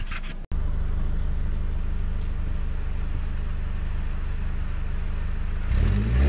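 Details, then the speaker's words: 2002 Mercedes C230, supercharged four-cylinder, with a suspected battery or power fault. The exhaust note shows a smooth, steady idle, then a short throttle blip near the end; it sounds clean and even. "let's give you a little exhaust note"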